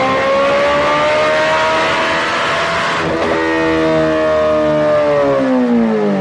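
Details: 2008 Suzuki GSX-R1000 on dyno, fuel pressure under 40 PSI at idle: pulls up steadily, stumbles briefly, then revs sag and fall away under load as it runs lean. Lean bog from fuel starvation, failing pump.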